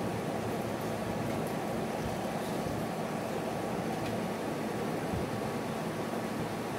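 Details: GE window air conditioner AHC12LYW1/ACH14AZW1 that beeped, showed 88 and shut off after five seconds, after control board bypass rewiring: steady even airflow with faint motor hum, no beeping or cycling off, running normally.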